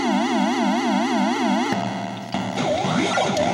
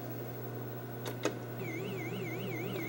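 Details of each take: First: Gorf arcade game board: warbling synth siren sweeping up and down about four times a second, then jumbled electronic game noises. The audio circuit works normally, while a bad custom chip puts out junk that corrupts the graphics. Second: Gorf arcade game board with a faulty custom chip: the background should be solid blue, colours are wrong and characters sparkle. Warbling, wavering siren tones over a steady electrical hum; the game sound is garbled because the custom chip is failing.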